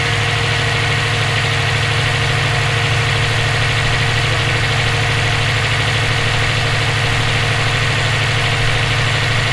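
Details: EJ257 flat-four knocking at idle for about 17k miles since purchase; faint, fairly even knock, about three per second. Owner suspects rod knock, spun bearing or valve lash needing adjustment; unconfirmed.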